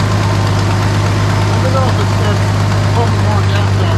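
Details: 1973 Dodge Dart Swinger, 225 slant six, first start after 29 years locked up: steady, even low rumble at idle with no knocks or misses, fuel fed to the carburetor; running smoothly and healthy.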